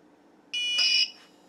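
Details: TrippLite APS1012SW inverter/charger after repair, including a replaced open 5A pico fuse (F2), run from a jump-start battery: a steady half-second high beep at power-up, then a quiet low transformer hum at about 2.4 A no load; starting normally.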